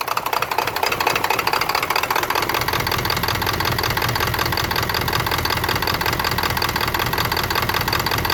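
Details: 1996 Ford F-250 7.3 diesel: uneven, stumbling idle, about 160 pulses a minute, loping rather than steady on deceleration; rough idle, cause unknown.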